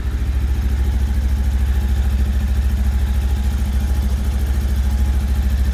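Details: Lifan KPT 400cc single-cylinder motorcycle idling right after its first oil change (10W-40), not revved while oil circulates: even thumping idle at a steady beat with no ticking or knocking; normal, healthy idle.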